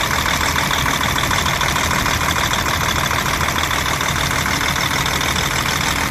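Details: DAF 105 truck diesel, 600,000 km, after rocker/valve work for knocking drumming into the air filter: steady even idle with regular beat, no knocking or drumming left; running clean.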